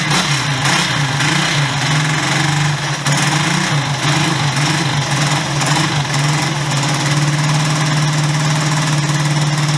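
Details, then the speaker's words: Honda CB125S idling on its old exhaust: a tinny, buzzy rattle and clunk over the thump. The baffles are loose inside the silencer, which is stuffed with glass-fibre insulation; it gets louder as it gets hotter. "Hear the baffles are loose, and when you're riding you can hear that clunking, and as it gets hotter it gets louder."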